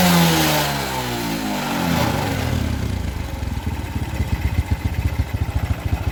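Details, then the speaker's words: Suzuki Smash motorcycle after repair for heavy fuel consumption, black exhaust smoke and poor idle: the faulty part was blocked off (no replacement available). Revs fall from a blip and settle into a steady, even single-cylinder idle with no hunting; normal idle. "oke langsamnya langsung enak stabil tidak mudutudutudut gitu ya"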